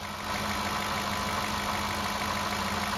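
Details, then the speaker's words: 2007 Cadillac DTS with newly replaced power steering pump, being bled at idle after adding about half a quart of fluid: steady idle with faint constant hum, no whine or groan; pump quiet once air is purged. "Okay, at this point, we add fluid till it quiets down, because we've got the fluid in the system."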